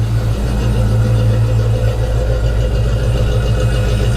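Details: 1991 Ford Foxbody Mustang 5.0 LX V8, after winter storage since October and a battery swap, warming up in the 30s °F; recorded at the tailpipe, deep steady even burble, no misses or knocks, healthy idle.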